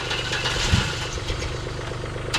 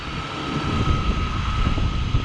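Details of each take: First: Old Chevrolet S10 that had not been moved in a while: uneven cranking with rough, stumbling firing that barely catches. It will only fire up with starting fluid. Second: Old Chevrolet S10 that hadn't been moved in a while, on first fire-up: steady low rumble with a faint constant tone and no squeal, settling into an even idle; normal idle.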